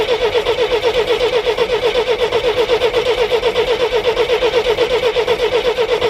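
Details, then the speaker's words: 1973 GMC 432ci V6, unstarted for almost five years, fed from a fuel can with water in the radiator: even cranking at about four beats a second, turns over freely but never fires. Fuel line still dry; owner suspects the fuel pump or a stuck carburetor float. Crank, no start. "so what I am gonna do is crack the fuel line loose see if it's actually popping up because I have no idea whether this fuel pump is good on here or not or whether the float's stuck in a carburetor for that matter too"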